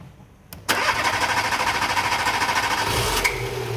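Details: Renault Clio 1.2 petrol that cranked but wouldn't start: after pressing a fuse in the fuse box it cranks briefly, catches straight away and settles into an even idle; a contact fault under the fuse is suspected.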